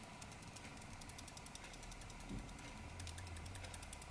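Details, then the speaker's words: Conway Stewart Bracket Green Churchill lever-fill fountain pen shaken: quick, light, evenly spaced ticks as the filling lever moves slightly in its slot; minor loose filling lever rattle, not a deal breaker. "you can hear that rattling noise that is the lever on this one just moving slightly it's not a great it's not a great problem it's not a deal breaker or anything"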